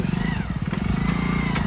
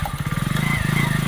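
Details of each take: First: Brand-new Hero Splendor motorcycle with about 3,000 km, engine thumping, wavering high squeal, chatter and scraping rush on braking. It appears when the brake is fully pushed. The bike had been ridden through mud. Drum brake squeal. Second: Hero Splendor at 3000 km, test ride after installing new brake shoes to cure a chirping noise when braking: single-cylinder engine putters evenly, and the brake, applied firmly, is now silent.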